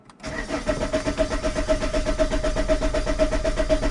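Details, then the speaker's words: Alfa Romeo 159 1.9 JTDM diesel, new turbo fitted, common-rail injector plug disconnected so it cannot fire: regular starter churn, about four compression beats a second, never catching, cranked to prime oil through the turbo. "so it should not fire should not fire I hope it doesn't fire"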